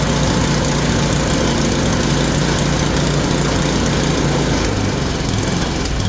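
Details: Yard Machine snowblower after repair, initially locked up, flywheel teeth suspected ground down, converted to pull start and adjusted; small single-cylinder engine holds a steady, even chug with no misses or surging, running all right, untested in snow.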